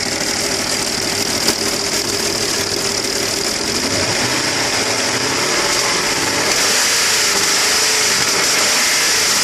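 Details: Engine code AKG: sharp, regular knock about three and a half times a second over the idle, like a bottom-end knock. Connecting rod knock suspected, not confirmed.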